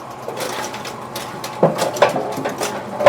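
Mechanical whir with irregular clacks and thumps as the machine cycles; the pinsetter sounds like it is running normally.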